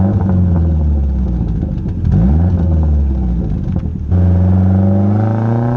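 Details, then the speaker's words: Saab 900 turbo after new spark plugs, distributor rebuild and ignition timing set: strong even pull with deep exhaust burbles, no missing beats, and more boost; warm-idle misfire cured, healthy engine under load. "the engine itself just sounds a friend I think a bit better it sounds healthier now that the timing is as it should be and it's not misfiring"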